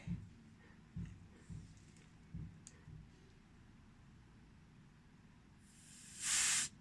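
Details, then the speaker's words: Chevrolet Lacetti new complete fuel pump assembly bench-tested with compressor on return line: handling clicks, then short sharp hiss as relief valve vents at about 3 atmospheres; system otherwise holds pressure, slight leak possibly from grip. "Клапан на 3, починає травить. От. А далі тримає ось так от."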